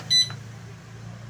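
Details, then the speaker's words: Whirlpool top-load washer PCB with PE error, cleaned of melted wax, pressure sensor connected: one short clean high beep at power-on and display shows P1; switches on normally before start brings the PE error. "ഇത് ഓണായി P1 എന്ന് കാണിച്ചിട്ടുണ്ട്."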